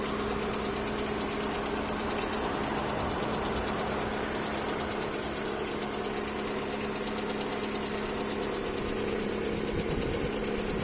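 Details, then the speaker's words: Lada Priora, cold engine: light fast ticking about three per second over a steady idle like a clock's second hand, from the top end; stops once the engine warms up. "вот чуть нагревается перестает короче как будто стрелка секундная тик-так тик-тик бегает"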